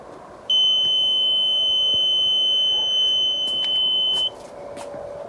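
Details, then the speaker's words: 2001 Alfa Romeo 156 mk1 with a newly installed rear parking sensor, in reverse: beeps intermittently within about 50 cm, then one steady high-pitched beep held at about 30 cm from the obstacle; sensor working. "şöyle hafif yaklaştığımızda da kesintili çalması lazım Evet şu an arada bir Herhalde 50 santim Maximum var şöyle 30 santime gelince düz ötmeye başlıyor bir uzaklaşınca kesiyor"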